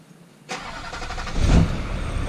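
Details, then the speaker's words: Rollover rebuild diesel after priming: the crank is barely heard before it fires instantly and settles to a smooth, even idle with no knocks. Healthy start. "oh yeah like a dream like a dream all right that's all I needed to see"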